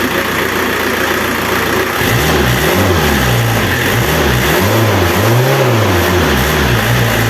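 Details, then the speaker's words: Renault Kangoo F8Q 1.9 diesel adapted from original Lucas Delphi DPC to mechanical Bosch VE pump; steady idle clatter with smooth throttle blips, even and responsive, no knock; sounds like original pump; normal. "en este caso yo encuentro que el motor suena igual prácticamente que con la bomba Lucas original"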